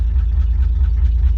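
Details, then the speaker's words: FJ Holden six-cylinder with a newly installed 6-volt reconditioned 4-brush starter motor: quicker start, then a steady, even low throb with regular pulses and nothing out of place; normal idle. "Oh, I like how it's got that little zip on it. So yeah, look, much better starting with a 4-brush starter motor."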